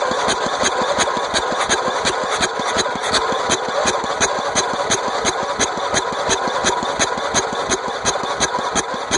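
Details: Gravity-fed carbureted engine after being flooded with mossy water, starter brushes cleaned, first start attempt with a little gas: steady cranking at nearly three pulses a second throughout, but it never catches; cranks without starting.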